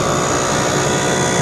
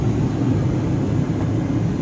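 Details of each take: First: 1998 Jeep Cherokee heater blower with cracked squirrel cage (repeatedly glued, wired up): loud constant whirring rush with rough scraping edge as cage rubs housing. Blower motor squirrel cage rubbing housing; fix is blower motor replacement. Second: 1998 Jeep Cherokee after blower motor replacement, first test: steady, low, even whir of air, no squeal, rattle or ticking, very quiet. Normal blower motor operation.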